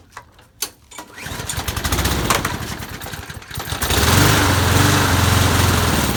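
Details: Lawn mower that won't stay running without priming, tested after blowing out the jet and oiling the cylinder: a few rope pulls, then it catches and runs unevenly with slight surging. It was fuel starvation from clogged channel holes in the float bowl bottom bolt.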